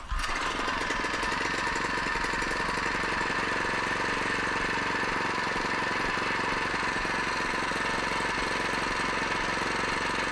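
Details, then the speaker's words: Harbor Freight small single-cylinder engine on an experimental cold-burning fuel, hand-set mixture, ran 33 minutes 40 seconds: steady, even drone at mid throttle with no misses, knocks or surging; running great. "um and i mean it's running great and i mean that that that delta is probably down"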